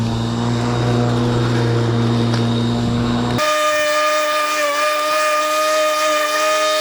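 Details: Ryobi corded electric lawn mower, about 3 seasons old, cutting grass around trees: motor holds a steady, high, even whine with blade hum and no rattle; cuts smoothly.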